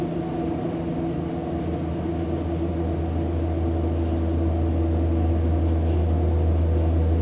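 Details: Hamburg U-Bahn DT5 train 343-1 with worn motors, heard from onboard: deep steady hum with tones stepping up as the train draws power; electric drive motor whine, cause suspected, not confirmed.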